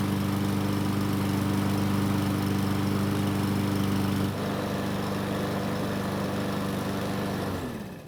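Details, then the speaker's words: Yard Machines single-cylinder mower after a carb cleaning, on a 5-minute test run with the valve cover at 134°F and cylinder head at 215°F. Steady, even drone holding speed with no surging, then winding down at shutoff; running smoothly. "so it started up just fine and ran without the surging from before"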